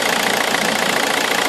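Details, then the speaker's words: Vauxhall Omega 2.2 DTI turbo diesel stone cold with vacuum applied to wastegate actuator: steady even fast clatter, no stumble or hunting; normal cold idle, though rough idle and smoke occur when vacuum removed. "idle's fine this is Stone Cold definitely got vacuum"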